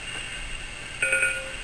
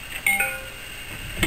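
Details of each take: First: USB-to-serial cable for a Uniden Bearcat BC796D scanner plugged into a PC: three short, flat monotone beeps instead of the normal rising two-note connect tone. This is a USB device error; the PC failed to recognise the device. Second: A USB-to-serial cable being unplugged from a computer makes a short two-note chime stepping from high to low, during attempts to reach a crashed Uniden Bearcat BC796D scanner. Normal USB disconnect chime.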